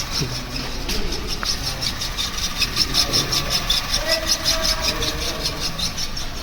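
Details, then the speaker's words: Maruti Wagon R with automatic (AMT) clutch, idling: rapid, gritty chattering clack from the gearbox, about three a second; mechanic attributes it to the clutch release bearing, gearbox to be removed and bearing replaced. "तो जहां तक है इसका जो gear box के अंदर जो bearing होता है कलच बेरिंग उसम आवाज है"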